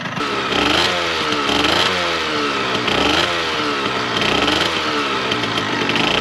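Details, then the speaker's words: 1998 Yamaha RZ50 two-stroke, restored from non-running, blipped after an exhaust leak was fixed; crisp buzzy high-pitched note rising and falling cleanly, quiet and good, with two-stroke white smoke and smell; normal running. "なかなかね静かでいい音ですね。だけどツーストらしいやっぱり高温の音がするような感じで、あとやっぱりツーストのオイルが燃えた時のね白煙と匂いね、やっぱりツースト独特のならではというか、なんかやっぱりいいなと思いますね。"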